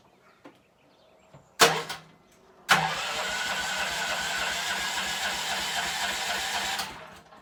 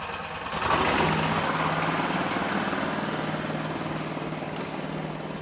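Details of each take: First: Gas golf cart before repair, blown exhaust gasket: engine catches after a couple of cranks and settles into an extremely loud, harsh raspy idle with hissy edge; exhaust leak. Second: Gas golf cart after replacing blown exhaust gasket: key-start, small engine settles into steady, much quieter idle putter, no puffing or ticking from exhaust; sounds perfect.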